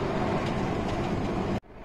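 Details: Mazda 6 2.0 diesel driving in second gear: steady droning whir under road noise that cuts out sharply; noise in 1st, 2nd and 5th gears, not in 3rd, 6th or neutral, play felt on shaft; worn gearbox bearing.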